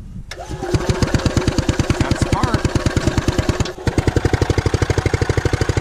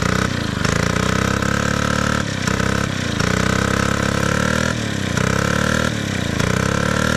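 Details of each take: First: Columbia ParCar gas golf cart sitting for years, has compression: steady cranking about three chugs a second with brief stumble but never catches; fuel starvation, clogged and ruptured fuel line/filter found. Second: Gas-powered Columbia ParCar golf cart, long-sitting, revived after cleanup; steady, even small-engine chug with a smooth regular beat and no knocks or misses; normal running.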